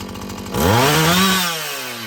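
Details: Husqvarna 445 chainsaw after cleaning and tune-up: a crisp rev from idle to a clean high scream, then a smooth fall back with no bogging or stumble; it runs well, though the carburetor diaphragm may need more adjusting.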